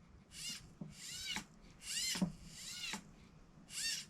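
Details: Losi Promoto RC motorcycle during repairs after re-indexing the servo saver: about five short whirring bursts sweeping in pitch as the steering servo works against a slipping servo saver; owner thinks the spring design needs a redesign.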